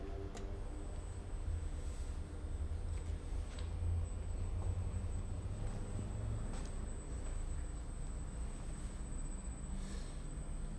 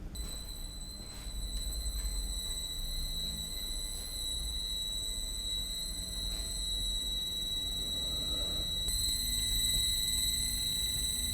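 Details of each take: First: Induction motor driven by a variable speed drive in a wind-turbine emulator, coupled to a permanent-magnet synchronous generator with an almost purely inertial load, starting on Hand On: a low, soft hum with a faint steady high drive tone; normal motor run. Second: Variable-frequency drive on a wind-turbine emulator with switching frequency lowered from 8 kHz to 2 kHz: a much louder, more intense steady high-pitched squeal over a low motor hum, showing motor whine from low PWM switching frequency.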